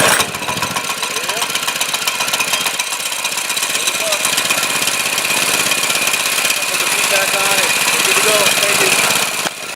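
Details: Harbor Freight 212 clone engine after replacing a carburetor rusted out by ethanol fuel, running non-ethanol fuel, started on choke: fast, steady buzz holding speed without surging or stalling; normal idle.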